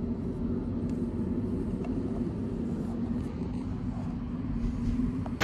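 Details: Mercedes OM616 diesel after valve adjustment, new injection nozzles and pump timing set at 24° BTDC to cure hard starting: a steady, even low rumble with no misses, surges or knocks; normal idle.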